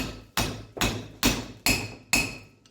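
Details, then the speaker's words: 1991 Camaro third gen brake service: new inner wheel bearing race driven into the aluminum hub with a slightly oversized race driver; five hammer blows, the last ringing higher and longer as the tone changes and the race bottoms out, fully seated. "Bottomed out, you could hear the tone change to higher pitch, and you also feel that it wasn't moving."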